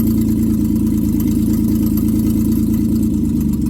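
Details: 1995 Plymouth Voyager, 209,068 miles, running during brake work checking booster: steady even idle with low uniform hum, no knocks or misses; engine running smoothly.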